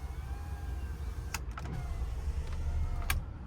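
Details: 2000 Jeep Cherokee XJ, one of the working windows, shown before repairing the dead driver window: smooth even motor whir as glass travels, no grinding, clicking or straining; normal power window operation.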